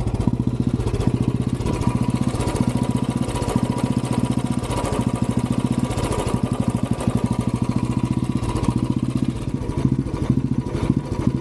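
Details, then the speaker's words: Royal Enfield Classic 350 BS6: steady thump with occasional stumbling beat and hunting revs; bike jerks, stalls by itself and is hard to start; misfire and surging from weak ignition due to low battery voltage. "थोड़ा दिक्कत भी दे है start होने में भी अपने आप बंद हो रही है झटके ले रही है"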